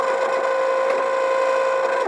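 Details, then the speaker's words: MokWheel Mesa ST Plus e-bike hub motor under throttle: steady harsh mid-pitched whine, sags when power cut; freewheels quietly, noisy motor, cause unknown. "boy not a very pleasant sound that's coming from the electric motor"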